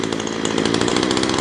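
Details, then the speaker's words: Ryobi two-stroke line trimmer just started after priming and choke, throttle held full: short high buzzy burst holding one speed and not climbing; head not turning fast enough, engine not revving due to too much oil in the fuel. "and they're saying that this doesn't turn fast enough hmm so what's the problem"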